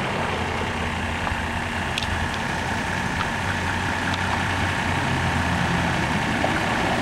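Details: 1987 Mercedes-Benz 300D diesel running on 100% vegetable oil, before the muffler swap on its original muffler and silencer: an even, steady low diesel clatter at idle with a soft exhaust note, no misses or knocks; normal idle.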